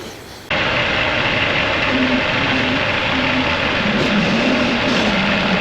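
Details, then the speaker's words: 1985 Gehl 4600 skid steer, Perkins 4.108 diesel, after the fuel delivery and injection pump shutoff repairs; slow to start and needed the battery charger: catches and settles into a steady, even clatter with no misses; normal running. "did take a little while for that to get started I hope you can hear me all right"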